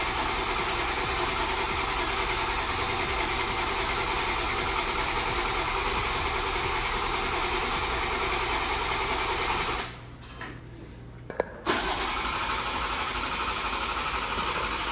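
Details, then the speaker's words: MKV Toyota Supra first start after engine work, fuel pump swapped but still no fuel pressure: steady starter cranking at about three beats a second with occasional catches and brief surges; intermittent firing. "We just kept cranking, and noticed that the car wanted to start. So we had a little bit of here and there combustion happening, and you can hear it because the engine would start to spin faster."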